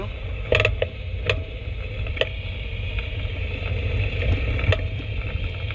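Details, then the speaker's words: 2015 Mercedes-Benz E-Class W212 driving a test road with a chassis noise detector: sharp irregular clacks as the front driver-side wheel loads, over road rumble. The detector confirms a worn tension strut ball joint, louder at slow speed; it is to be replaced. "요거는 닭은 텐서 스트럿입니다요 정대석 가서 일단 제가 한번 다시 확인해 볼게요"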